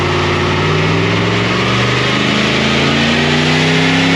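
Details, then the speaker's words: LS V8 with 6L80e in GQ Patrol on dyno, NGK Iridium plugs, heard from exhaust at rear: hard revving under load with uneven stumbling note and broken firing beats; breaking down at higher revs, cause unconfirmed. "So we are having an issue with this thing breaking down. You could probably hear it from the videos of the pulls from out the back. Really obvious to hear out the back of the exhaust."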